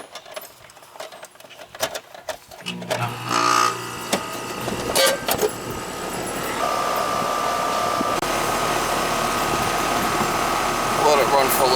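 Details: Ten-year-old R-410A AC system after evaporator coil replacement: after a few clunks the unit kicks on and settles into a steady hum with fan rush; compressor running normally.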